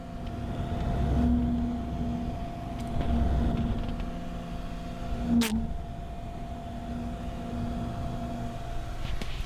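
Steady low hum with a faint higher tone from a running graphics card, broken by a few handling bumps.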